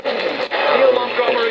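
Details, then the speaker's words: ATS-25 receiver on new firmware, tuned to BBC Radio 4 long wave with AGC switched off: harsh, garbled hiss and crackle smother the station; overload distortion. "if i turn the agc off listen to that total distortion"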